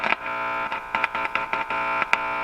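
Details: RCA Victor 12X2 radio at power-on test after full recap (all resistors found far out of tolerance): steady buzzing hum despite new filter capacitors, with sharp crackles and dropouts whenever parts are touched, pointing to a poor connection or joint; AC/DC voltage checks to follow.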